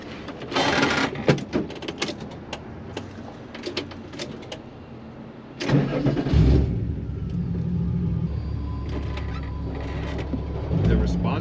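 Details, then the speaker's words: VW Mk1 Rabbit with 3.6 VR6, restarted after an earlier misfire and attempted fix: cranks, catches, settles to steady low idle with no stumble; no misfire heard, fix may have worked. "I don't feel a misfire I don't feel or hear a misfire so that may have just done the trick"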